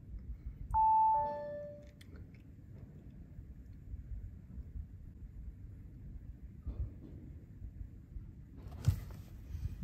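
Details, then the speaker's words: 2017 Audi A5, ignition on/engine started, faults C11EC04/C123EF0 logged: short ding-dong chime once over quiet cabin; brake servo restricted warning, caused by a faulty brake servo pressure sensor after ABS pump reconditioning. "there you go breaks it brake server restricted sometimes it comes up with just a break-in error"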